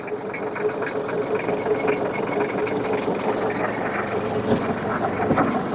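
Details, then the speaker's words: 1980 Leyland Terrier diesel water truck, just started: steady, even diesel clatter at idle with no knocks or misses, running like the day it was built. "it runs like the day it was built it really does it's just unbelievable"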